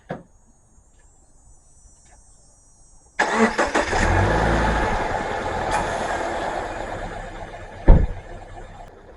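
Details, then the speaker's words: 2011 Subaru Forester started after an oil and filter change to check for leaks. A short crank catches fast and settles into a smooth, even idle with no knocks or ticks. It sounds much quieter than before the change. "Subaru definitely sounds a lot quieter than it was."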